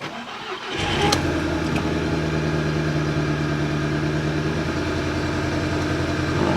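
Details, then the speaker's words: Salvage-auction Audi TT Amplified Edition: short crank, then irregular lumpy idle misfiring on cylinder two, which the ECU flags. "I mean it's misfiring but let me try and get the ECU to recognize it right damn it still cylinder two it's coming up now"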